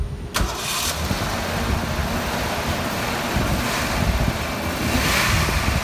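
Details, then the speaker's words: 1987 Ford Ranger, 2.9L six-cylinder, manual, 94,000 miles, after a no-spark repair with a new TFI module: brief crank, then it catches into an uneven, lumpy idle; the rough running is from vacuum lines left open. "now we can start it up here and let y'all listen to it but it's going to uh [Music] it's going to run a little rough because stuff like that the vacuum lines are open"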